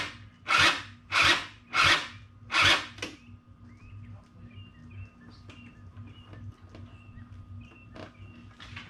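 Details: Small engine machine pieced together from parts, sat since at least last fall, on ethanol-free gas, battery at 12.7 volts: four short, slow, rasping starter bursts with no firing; owner suspects weak starter.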